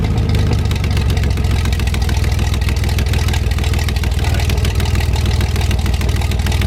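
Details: 1973 GMC 432 cu in V6, first run after about 5 years sitting: deep, steady, even firing at idle with no misses or knocks; no smoke once warmed up; normal idle.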